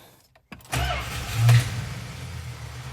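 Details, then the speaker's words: 1982 Chrysler Imperial, no fuel pump sound heard despite 13 gallons in the tank, suspected dead fuel pumps or bad module: silence, then a rough low rumble running briefly on ether alone; no fuel delivery. "As you can see, you should be able to hear the pumping gauge, and it doesn't. But see, she ran on ether right there."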